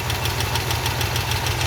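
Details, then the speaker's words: 1969 Ford F-250 with a believed 390 FE V8, first start after sitting 21 years on old oil, making 40 psi oil pressure. Quick, regular light ticking over a lumpy idle; one suspects a typical FE exhaust leak, another disagrees; cause unconfirmed. "Yeah, that's a typical FE exhaust leak though. Right away. It's idling."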